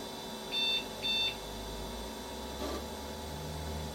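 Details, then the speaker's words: Compaq Proline 4/33 486 PC, unpowered for over 10 years, on reboot: two short high beeps about half a second apart. This is the error for setup settings lost because the backup battery no longer works. "System options not so right. So it's still having problems with its. Like I said, there is no. Obviously, the backup battery is not working in this thing anymore."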